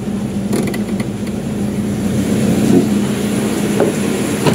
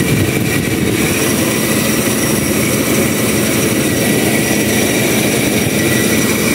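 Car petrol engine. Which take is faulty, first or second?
second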